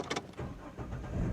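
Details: Chevy Trailblazer that came in as an intermittent no-start with gauges dropping out, after a weak main body ground was found: brief crank, then the engine catches quickly and settles into a steady low idle; starts cleanly.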